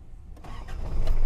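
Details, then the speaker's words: 1997 Daihatsu Taft Rocky with 5-speed transmission and 4x4, starting: a short crank catches quickly and the engine rises smoothly to a firm running rumble with no hesitation, a clean, healthy start. "Wah, suaranya istimewa ya teman-teman."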